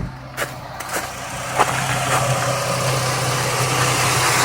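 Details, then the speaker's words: 2004 Jeep Liberty at idle with AC on, after replacing the AC compressor pulley bearing that caused a grinding drone: a couple of light clicks, then the idle firms as the compressor clutch engages cleanly, with no grinding. "there you go so you need it to engage you don't want it to uh go too crazy there perfect nice and smooth awesome"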